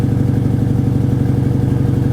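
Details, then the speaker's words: Mercedes GLE 450 with 54,000 miles: rough, lumpy petrol idle with an uneven exhaust pulse and flashing check engine light; a misfire is suspected but not confirmed. "uh-oh check engine light is flashing is it misfiring it doesn't feel like a misfire to Me Maybe yeah if you listen to it yeah I guess it"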